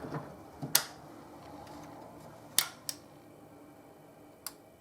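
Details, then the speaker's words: Sansui HTS-105 digital surround amplifier with no sound, on a dim bulb tester: a few sharp single clicks seconds apart over faint hum; speaker protection relay pulling in and dropping out, suspected, not confirmed. "so there's another relay over here so I want to know which relay is the One clicking in and out"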